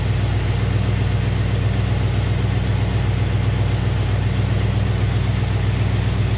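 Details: Thermoquad carburetor after the idle mixture screws were set with a vacuum gauge: steady, even idle with a smooth low rumble and no misses. Normal idle.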